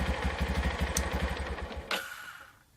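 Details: Yamaha Jupiter MX 5-speed, left sitting two years after an improper piston job and burning a bottle of oil a week, now idling with a new cylinder block fitted. An even single-cylinder beat with no knock or rattle, then shut off; healthy.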